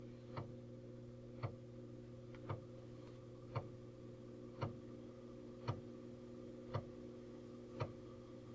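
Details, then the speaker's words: Commodore 128D internal drive loading a file from a high-density 5.25" floppy: soft steady motor hum with a crisp tick about once a second, evenly spaced; disk reads normally. "and they're loaded fine okay so obviously these disks work okay in some situations"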